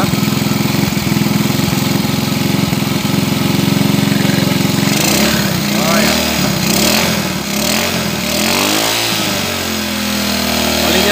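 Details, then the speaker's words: Supra 100cc with newly installed aftermarket ITSUNO cylinder head, oil reaching the head: small single idles evenly with a light regular tick, picks up smoothly on throttle; no knock, head sounds fine, normal idle. "sepertinya ee cukup bagus bunyinya untuk di head ini. Tidak ada masalah ya di sini."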